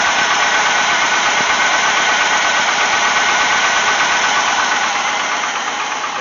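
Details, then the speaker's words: Wagoneer with AMC 360 V8 after carburetor replacement, puffing blue smoke when revved: fast metallic ticking, nearly three a second, over steady idle, swelling and fading in cycles; cause unknown, owner suspects a lifter or rod, friend suggests bent rod. "goes through cycles where it's really loud and times when it's really quiet so i don't really know what i should be looking for on it it almost seems like a lifter like a rod or something"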